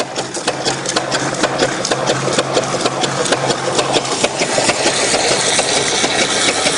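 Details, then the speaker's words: StreetPrint Rapid Sprayer II (RS2) pump flushing clean water with recirculation line pulled out, slowed to save wear: soft, fairly even ticking about two strokes a second over a light hiss; normal slow running. "by slowing the amount the pump speed with the water we can save save a little bit of wear and tear on the pump by not having it tick over as fast"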